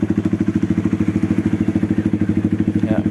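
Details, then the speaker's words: Honda CRF150L single-cylinder at idle: a coarse, clattery roughness on every beat that goes quiet with the clutch pulled in and returns when it is released. The clutch shaft wobbles from a worn clutch housing shaft bearing, so the engine must be split. "Ini suara mesinnya kasar di bagian kopling ya teman-teman. Ya, kalau mesin hidup ya dinyalakan, nanti kalau di kopling itu sepi, tapi dilepas bunyi kasar teman-teman."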